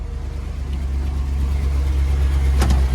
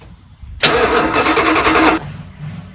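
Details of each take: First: Dodge Prospector truck just after engine swap, water pump still leaking: steady even low idle, smooth rhythm, no knocks, squeals or misses; thermostat open, engine sounds healthy. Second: 1983 Dodge Prospector, 360 V8 just swapped in and plumbed, first start attempt: starter turns engine over at steady even rhythm about a second and a half without firing; cranking but not starting because it still needs to draw fuel.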